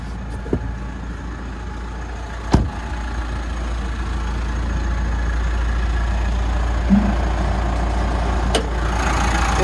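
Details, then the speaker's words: 2016 Mitsubishi Pajero Sport GLS with full service history (every 15,000), heard at idle from under the engine bay: low, steady, smooth rumble with no rattles, squeals or knocks; healthy engine. "Running nice and smooth. There's no rattles, squeals or major knocks or anything like that."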